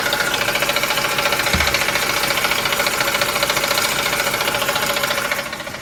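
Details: Ford F150 at idle: fast, steady chattering tick over a hissy whirr from the belt drive, caused by a bad belt tensioner and a couple of pulleys; truck was quiet after replacing them.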